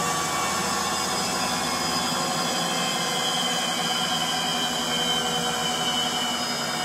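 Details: Frigidaire Gallery front-load washer GLTF1670AS1 on final spin: a steady roar with a thin high squeal riding on top, from worn motor bearings.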